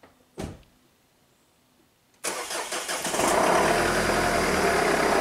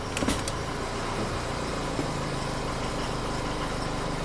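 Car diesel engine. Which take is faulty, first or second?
first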